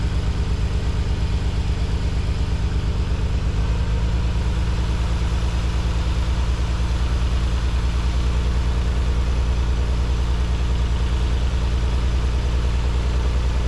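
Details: Nissan 300ZX just after installing new spark plugs and refitting the balance tube; a coil pack is slightly loose. Low idle with slightly uneven beat and occasional hitch, still stumbling; cause not confirmed (fuel injectors suggested).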